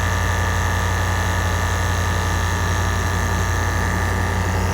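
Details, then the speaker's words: Range Rover Sport L320, Dunlop air suspension compressor after drying gel service and cap replacement (fault C1A20-64, only normal height available), engine idling: steady low even hum, no rattle or knocking; normal compressor operation. "Okay, but before I put the cover, now it's time to start the car. check what happens. You can hear the compressor starts working."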